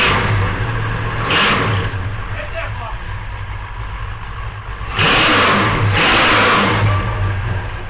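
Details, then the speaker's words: 1968 Oldsmobile 442 V8, first start after sitting over 40 years, new starter fitted: steady lumpy idle broken by two sharp throttle blips that climb and fall back cleanly. Healthy big V8, normal revving. "That's the song of my people. >> Yeah, that sounded really good."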